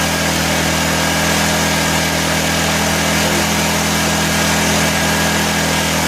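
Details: 1984 Honda EM600 generator, bought as a non-runner, on a cold start: steady, high, fast hum with no hunting as the engine runs too fast; the fine-tune adjuster knob did little, so a throttle issue is suspected. Engine overspeed.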